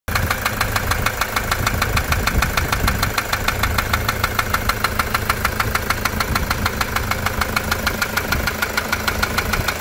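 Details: Toyota SW4 3.0 diesel, 2015, with serious problems after a service: sharp dry knock about 200 a minute, even and steady over the idle; injector or rod suspected at first, traced to a stuck injector.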